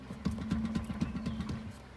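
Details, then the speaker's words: 2002 Acura TL-S, front left wheel bearing at 306,000 miles: dull clunks about four a second as the wheel is rocked by hand at every angle; play and noise everywhere indicate a worn bearing. "still more noise grab from the bottom you can hear that noise and feel it no matter where i grab the wheel"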